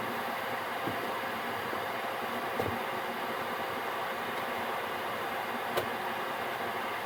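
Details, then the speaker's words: Gearlasso 8kW 12V/24V Chinese diesel heater in manual gear mode after switch-off: burner and pump stopped, burning off residual oil; even, steady airy fan rush with a few faint clicks as it cools before standby; normal cool-down fan run. "And it will do that for a couple of minutes until it's finished burning the oil off until it's cooled down a bit. Fan will run again in a moment and that will be it off again."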